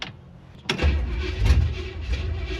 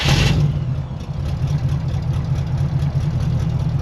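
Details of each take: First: 1967 Chevy Impala small-block V8, pedal pumped before cranking, then held wide open; it needed heavy pedal bumping to fire last time: silence, then a sharp crank burst, engine catches and settles into a rough, low rumbling run; hard start. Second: 1967 Chevy Impala small-block V8 on a test drive with newly fitted mufflers: a deep, even low rumble with a steady beat and no rasp or blowing leak; the exhaust sounds clean and healthy.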